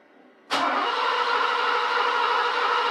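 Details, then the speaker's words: 1987 Mercedes 560SL R107, first start attempt in 16 years after rebuilt KE-Jetronic fuel distributor; starter spins at steady whir, engine never fires, fuel present but no spark found: cranks but no start, no spark. "nothing yet let's try it again nothing sounds like we're in worse shape than we were cuz I can't even get it to start now you know that doesn't sound like fuel starvation to me there's something else wrong"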